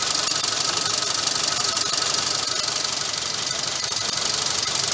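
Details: Mitsubishi Grandis petrol engine idling with a regular stumble about three times a second; a known Grandis engine misfire fault.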